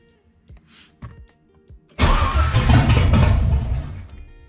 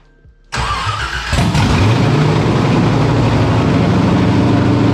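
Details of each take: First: Nissan 300ZX with an LS1 swap and Holley Terminator, first start: a few failed cranks, then the engine fires and runs rough before settling; it was running rich per the MAP reading. Hard start. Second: LS1 V8 with a cam, swapped into a Nissan 300ZX with Holley Terminator EFI, first start: it catches quickly and settles into a lopey, choppy burble. It idles properly without a tune; the first few starts were rough until it reached temperature.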